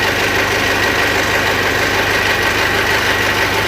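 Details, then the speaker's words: Mitsubishi L200 Triton 3.2 diesel at idle, heard from a distance with a cupped hand: hollow knock about three times a second; a worn cylinder with piston skirt slapping, alongside suspected timing chain noise. "De longe, fazendo um cone, a gente percebe que o batido está acentuado, está vindo lá do pistão."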